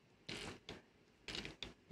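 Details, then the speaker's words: National NV-G20/G21 VCR mechanism on known-good electronics, in play mode: four rough grating bursts as it fails to drive the reels. "ah yes that's right that's what we experienced when we were i remember now because i remember this noise that grating sound and so why isn't it engaging properly"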